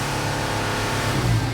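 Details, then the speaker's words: Mercedes Sprinter diesel van that loses power and goes into limp mode after driving: revving gives a faint airy hiss over the engine from a boost leak under the hood. "You hear the hissing sound? Shh. That's the problem, guys. There is a hissing sound coming from under the hood."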